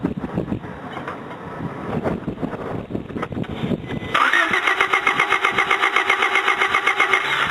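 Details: Honda Del Sol that wouldn't start the morning after a normal drive, with weak intermittent spark and good fuel pressure: steady, even cranking at about four pulses a second with no firing; the ignition coil was bad though it ohmed OK.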